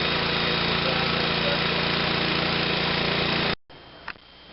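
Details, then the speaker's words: MTD snow blower running after the clogged carburetor needle valve was disassembled and cleaned to fix a no-start from fuel delivery; the small engine holds a steady, even beat with no misses or surging, then shuts off. Normal running. "We're back in business."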